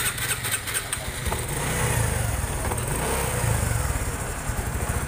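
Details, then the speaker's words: Honda Supra 125 FI motorcycle after repeated ECU reset: even, steady single-cylinder idle with no stumbles or misses; fault had been an incorrectly installed timing chain making the engine run abnormally, now running better. "motor udah rada enakan Mas Bro. Ya, ternyata kesalahan di motor ini tadi pemasangan timing ketengnya yang salah, menjadikan motor nggak normal."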